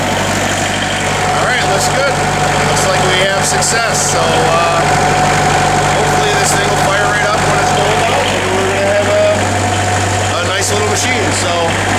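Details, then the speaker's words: Bobcat 743 diesel after replacing all four glow plugs, started with extra glow plug time, owner suspecting air in the fuel lines: steady, even low rumble with no misses or knocks; clean, healthy idle. "There She Goes she's a runner she is a runner oh"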